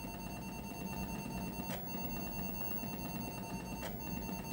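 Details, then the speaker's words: Atari 1050 floppy drive on an 800XL, loading Necromancer: steady even motor hum with soft head-step clicks, no grinding or rattle; reading smoothly, unlike 1050s that sound horrible sliding through tracks. Normal. "Sounds like it's reading nice too, by the way. I've heard other 1050s that sound horrible as it tries to slide through the tracks. This sounds really good."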